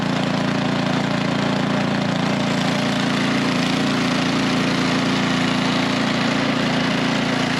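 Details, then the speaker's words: Craftsman SnowKing snowblower, half-filled with gas, started on choke in mild weather. The small single cylinder putters at a constant, even beat with a steady low drone and no surging or knocking. Normal running. "all right so I'm gonna let that run for 10 minutes or so all right so of course this thing started up no problem"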